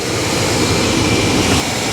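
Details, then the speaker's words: Chevy work truck after fuel-pump-area repair, a rubber line in the tank had slipped down past a step: steady, even engine roar with no sputter, surge or cut-out; fuel pump sounds good, starts right up and runs normally. "fuel pump sounds good starts right up runs good so yeah it must have been that rubber line in the tank and it just slipped down past that step"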